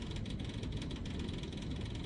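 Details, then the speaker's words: Diesel tractor, key at position one, in neutral, clutch and brake disengaged, mid throttle, fuel checked with no clouding or gelling: low steady electric hum with no firing as the fuel pump builds pressure. Normal priming. "we're going to start it up position One clicking normal fuel pump building pressure"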